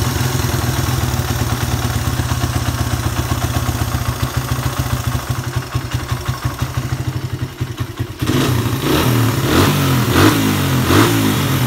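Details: Suzuki Satria F150 that had refused to rev, running after a ground wire was run straight to the engine: it ticks over with a steady pulse, then revs cleanly and freely without stumbling or cutting out.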